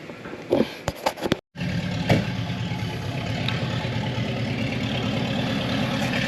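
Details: 1972 Chevy Impala, previously parked for severe misfire, after filing the ignition points a second time: after a few cranking bursts it catches and settles into a steady, even idle with no misses or knocks, timing still being dialed in.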